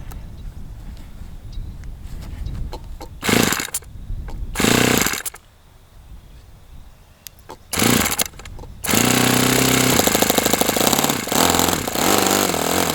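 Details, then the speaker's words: OS FS60 open-rocker glow four-stroke on a test stand, first run after years in storage, needle at one and a half turns; fires in ragged bursts, cutting out and surging. A loose rocker-arm nut may be throwing the valve adjustment out and leaving excess valve clearance, so the engine is to be shut down. "I just so happened to see as I was running that this rocker arm nut is looser than Which means now the valve adjustment might be out, which would explain why it isn't running well at all."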